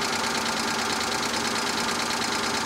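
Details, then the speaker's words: 2008 Hyundai Tucson with 167,000 miles at a salvage auction idles with a fast, light metallic chatter or tap that doesn't fade once warm. It should have gone away after sitting. Cause unknown; low oil is mentioned as a possibility. "Yeah, I'm not gonna lie, a lot of times these cars sit for long periods of time, and when you first start them, they'll chatter like that for a minute, and then it goes away. It should have gone away by now."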